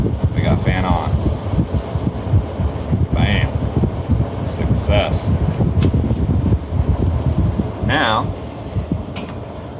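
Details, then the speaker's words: Hotel PTAC unit with the always-powered red wire jumpered to the G fan-high terminal, bypassing the thermostat: a steady low fan rush under handling noise, never cycling off. The blower now runs continuously. "There you have it. We now have fan blowing all night long."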